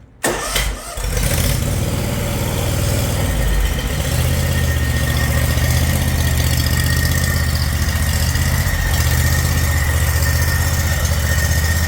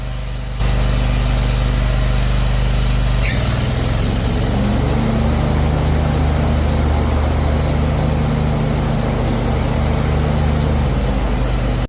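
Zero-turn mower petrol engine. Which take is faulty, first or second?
first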